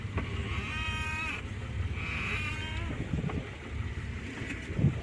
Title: Steering wheel makes squeaky noises